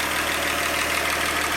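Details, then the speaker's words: 1948 Chevy stovebolt six after readjusting valve lash hot, rechecking manifold bolts and setting timing to the flywheel BB: a steady, even idle with no knocks or misses, probably running a little fast. "man it sounds good how it is so i think i'll throw the valve cover on"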